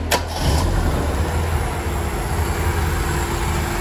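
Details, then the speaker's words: Mazda Interplay carbureted petrol engine after carb cleaning, jet about size 50, secondary throttle plate suspected not closing fully: steady, even low rumble with no hunting; now holds a stable idle, air screw still to adjust. "Alhamdulillah sudah bisa stasioner, tinggal kita setel anginnya."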